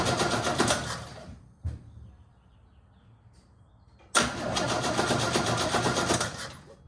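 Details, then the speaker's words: 1969 Chevrolet C10 inline six, sat about 9 months after breaking down, inline spark checker fitted: two spells of steady starter cranking at roughly four turns a second, never catches; cranks but won't start, no spark after briefly running. "But now, after it ran a little bit, it's not sparking anymore."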